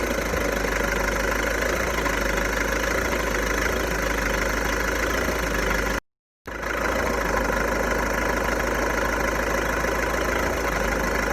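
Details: VW Golf 1.6 TDI diesel, 90,000 km, at idle: rough, uneven clatter about three or four a second over the engine note; owner suspects dual-mass flywheel noise, cause unconfirmed; idle rattle.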